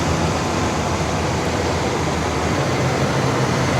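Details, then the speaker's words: 1979 Cadillac Coupe DeVille carbureted V8 after a carburetor swap: a steady, even idle with no misses, knocks or hunting. The choke opens even without the electric choke. "The choke is opening even without the electric choke. So, it sounds good. It sounds really, really good."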